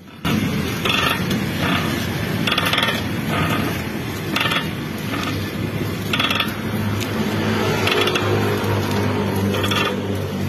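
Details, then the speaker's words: Car with a complaint of noise when the steering wheel is turned left or right: repeated dry scraping knocks under a low hum from underneath. The shock absorbers and mounts were checked and are fine. "Yan ang problema ni customer. Pag niliku niya yung manibela, pakaliwa or pakanan, nakakarinig siya ng ingay."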